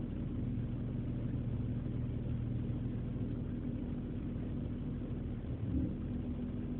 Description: This is a video of my e46 misfiring on cold mornings.